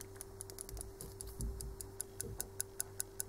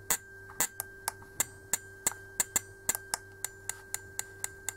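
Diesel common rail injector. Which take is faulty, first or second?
first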